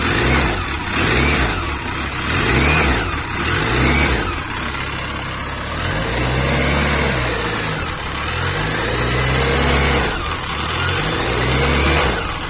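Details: Engine with alternator removed, blipped repeatedly from idle about every second and a half; the noise persists with revs, so it is not the alternator. Engine noise, cause unknown.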